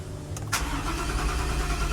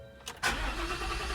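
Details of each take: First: 2021 Ford F-150 at a body shop, cranking on a jumper: the starter spins the engine evenly at about three compressions a second but it never fires. Crank no start. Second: 2021 Ford F-150 that cranked but would not start, now starting after the fuel pump control module was disconnected and the pump powered: a brief crank, then it catches quickly into a steady, even run; normal start.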